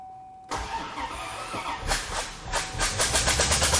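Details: C4 Corvette that came in with no spark, blown fuses, cut wires and melted plug wires: uneven, lumpy cranking, then a ragged catch that stumbles before settling; rough start, with heavy steam from the engine bay on first fire-up, cause unconfirmed.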